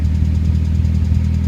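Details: Nissan RS13U with CA18DET right after cold start: rough, pulsing low idle with a fast uneven beat and top-end noise; owner unsure if hydraulic lifters, noise disappears once properly warm.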